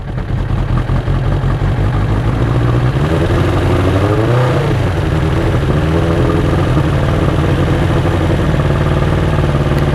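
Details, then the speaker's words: 1992 Suzuki Katana 750 GSX750F, not run in a while, cold idle on choke before a test ride; steady, slightly raised idle speed that holds without stumbling as it warms up. "but she hasn't been running in a while should warm her up a little bit with choke"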